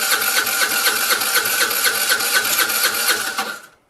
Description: She cranks the Vespa but it does not want to start for her.